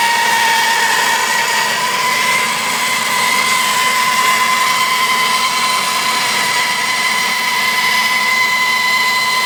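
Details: Jeep Grand Cherokee WJ Overland at idle: steady piercing squeal near 1 kHz over the engine, source not pinned down.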